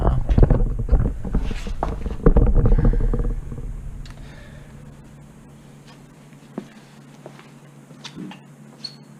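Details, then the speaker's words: Datsun rally project with muffler deleted: loud ragged rasp with spitting pulses on revs, settling to a rough throaty idle. Exhaust leaking at the back; gaskets to be replaced. "so it's spitting some exhaust out back there, and it's just making it sound really nasty."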